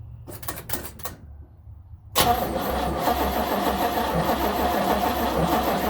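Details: 1970 Nova SS, first cold crank of 2023 after sitting since October 2022 with no battery charging; a few clicks, then steady rhythmic cranking that never catches or fires: cranks but won't start.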